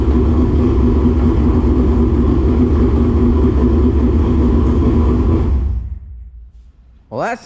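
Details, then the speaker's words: Dirt late model race car V8 giving a deep, steady rumble with an even beat and no stumbles, then shutting down cleanly; never missed a beat. "that sounds good. Yeah. Sounds good. Never missed a beat. Never missed it."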